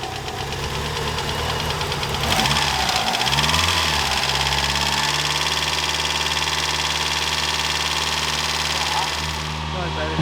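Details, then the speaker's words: Mitsubishi Evo 8 just restarted after fitting new 3 mm lifters: rough idle with deep, uneven knock about three times a second that comes and goes; bottom-end rod knock, not lifter tap. "i'm glad i didn't have a go at this and it start knocking he goes away and then comes back"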